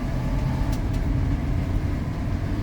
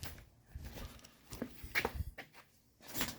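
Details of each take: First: Ford F-150 with 302 V8, driving on the road after ignition timing set slightly lower and an injector replaced for a dead miss; deep, even rumble with no misses, pinging or stumble; power steering pump whine; normal running. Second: Ford F-150 fired up to check its ignition timing: the idle rises and sags in slow waves, hunting and never settling, showing the timing is off. It is to be checked at the timing mark with the bypass connector removed.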